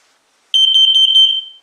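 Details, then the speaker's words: X-Sense combined smoke and carbon monoxide alarm after pressing the test/silence button: quick train of about five shrill high chirps in one second, then silence, confirming the self-test. "there you go it does it twice so it's easy to check"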